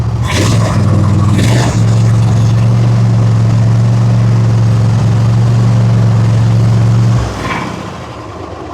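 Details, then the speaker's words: Gravely zero-turn with Kohler 7000 series engine, 99.6 hours, after fitting a missing carburetor main jet: a few rough catches, then smooth steady hum with no surging; the earlier black smoke and weak running are fixed. "It's not surging or anything. We just got lucky."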